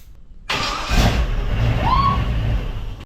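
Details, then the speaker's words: V8-swapped mini truck on its first start, with a temporary exhaust, firing order set and the engine at top dead center: uneven cranking catches into a rough, rising note that runs briefly then cuts off. The starter is suspected damaged from a fallen bolt. "oh that was the best thing ever that sounded like it was right on too sounded amazing"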